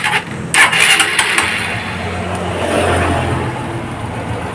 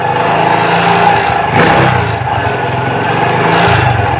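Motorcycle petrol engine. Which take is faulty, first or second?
second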